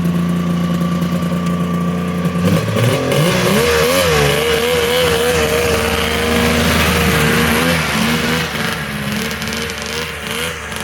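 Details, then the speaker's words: Polaris triple-cylinder two-stroke modified snowmobile ("Wet Basement") after full rebuild, skid reinstalled: steady crisp idle, then sharp clean revs rising and falling without stumbling, pulls evenly; normal running, healthy. "Wet basement back up and running, ready to kick some more ass or what?"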